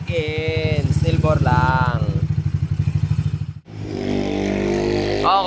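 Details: Scooter engine freshly upgraded from 59 stock to 63 (200cc) with oil cooler, during break-in: small single-cylinder engine pulsing evenly under light throttle blips, steady crisp beat, no knocks; healthy, earlier noise cause never identified.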